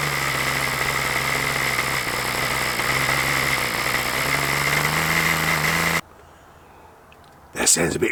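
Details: OS LA40 nitro engine on a Balsa Max Thrust Trainer, first test run after eBay purchase: steady, slightly burbly high-pitched drone for six seconds then cutting out; the soft note suggests rich mixture, suspected not confirmed.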